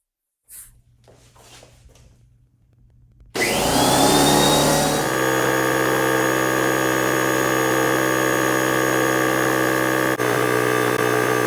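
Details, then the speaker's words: Husky 33-gallon air compressor before repair: the motor starts and hums steadily without stopping, passing its 150 PSI cut-out to around 152 PSI until switched off by hand. Likely faulty pressure switch. "I had to turn this off. You could see on the gauge we were passing the 150 PSI. It was like around 152. This particular compressor should be shutting off at 150 PSI."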